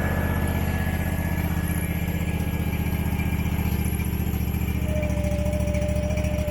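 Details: Abandoned Husqvarna XPT V-twin mower, possibly 2002, idling just after carburetor reinstall: heavy low drone with uneven thrum, running rough, humming and blowing lots of smoke; dipstick shows no head gasket failure, owner suspects it's stuck in choke.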